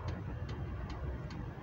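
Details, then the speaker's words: Hcalory 8k all-in-one diesel air heater running on a power station at about 117 watts: soft, even ticks roughly two and a half per second over fan hum; a quiet, healthy dosing pump. "I just heard the dosing pump kick in I'm not sure if you can hear that there's always been complaints about these dosing pumps being noisy"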